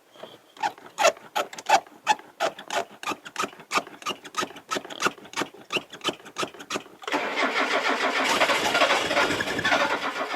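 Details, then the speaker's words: Classic Mazda barn find, sitting over 10 years, on about 10 liters of fuel: starter cranks at roughly three beats a second with uneven compressions, nearly firing but never catching cleanly, then a rough rush of noise. Cranks, no start; cause not confirmed. "that doesn't sound good well either way it did want to fire"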